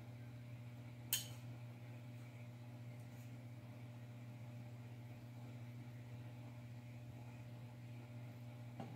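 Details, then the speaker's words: DIY spot welder with aluminium wires on 20 gauge sheet metal: steady low transformer hum with a couple of sharp clicks, but it fails to weld the pieces together; cause unknown. "I don't know if you can hear the transformer humming right now but it is now it's kind of sucks because it seems like every video that I've watched on YouTube this all works really great"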